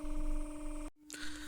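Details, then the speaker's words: Panasonic Cobra RX DT-95 stereo (about 2000s) speaker under repair, on a 300 Hz test tone with 20 Hz added to drive cone excursion: clean, pure tone with no buzz or rattle, signal unchanged, no distortion. "добавляю сюди ще чистоту 20 Гц щоб він вийшов на хід слухаємо наскільки буде мінятися сигнал сигнал взагалі не змінився"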